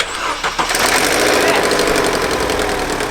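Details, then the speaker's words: Vauxhall Astra saved from scrap, used only for one-mile trips: engine cranks, catches, then settles into a loud, rough rattling clatter after start-up; abnormal start-up noise, timing chain suspected (looks slack), head gasket not ruled out, unconfirmed. "it was making a horrible sound and a lot of you guys seem to think that that could be down to the timing chain so I really really want to check it out"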